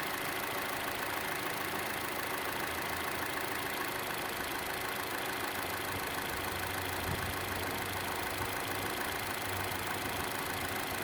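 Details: Chevrolet Cruze at idle, camera moved around the engine: light fairly quick tick over steady idle, louder than normal engine tick, most noticeable on the belt side; cause unknown.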